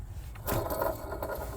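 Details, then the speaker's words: 2008 Chevy Silverado LT 5.3L with belt removed, water pump pulley spinning freely: dry, gritty scrape; water pump bearings completely shot, other pulleys fine; pump being replaced. "It's not even supposed to spin like freely like that. Listen to that. The bearings in there are completely shot. That's not supposed to sound like that at all."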